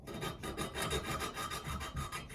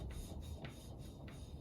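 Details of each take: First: Yamaha Virago 535 valve lapping, coarse paste on the valve and a suction stick twirled between the palms: steady back-and-forth gritty rasp about four strokes a second, even and coarse. The paste is still cutting the seat. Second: Yamaha Virago 535 valve lapping with coarse paste and a suction stick: a dry rasping swish about every 0.6 seconds has gone smooth. The tone has changed, so the paste is spent.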